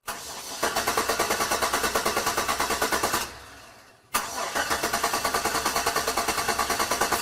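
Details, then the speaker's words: Example of rapid clicking when turning the key with no engine start; two bursts of rapid even clicking, usually from battery, alternator or battery cables; suspected, not confirmed. "And one thing to point out upfront is usually when you hear a clicking sound while trying to crank your vehicle, typically it will be a rapid clicking sound"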